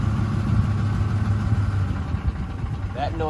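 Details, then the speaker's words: Ford 5.4L 3V Triton under acceleration past roughly 900–1200 rpm: low rumble with uneven rattling chatter as revs climb; cam phaser oscillation from uncontrolled phasers due to low oil pressure and volume. "that's phasor oscillation that's the phasers jumping back and forth they're being not being controlled uh because you have a low oil pressure and volume iss"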